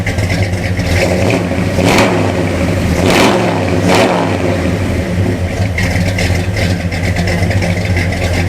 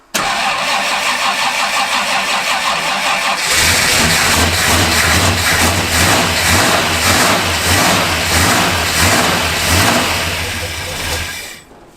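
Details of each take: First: 1974 Ford F250 V8 (looks like a 390) with Comp Cams Thumper camshaft, after valve adjustment and timing and carburetor tuning: lumpy cam idle, picks up cleanly on quick blips and returns to a steady idle. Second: Worn-out 1974 Ford F250 Highboy V8 after tightening battery cables and adjusting timing: catches and runs with an uneven, lumpy beat, seems flooded, stumbles and dies; rough running from a not-yet-set carburetor.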